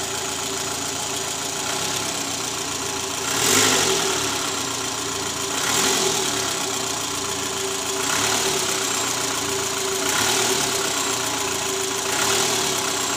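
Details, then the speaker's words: 2012 Toyota Alphard ANH20, 2AZ engine, 100,000 km: smooth, steady idle with a faint hiss and no rattle under the oil pan after replacing the worn, loose balancer shaft that had caused a rough "krrr" noise on cold start. "Oke, teman-teman. Jadi sekarang suara mesinnya lebih halus dibandingkan sebelum kami mengganti balancer."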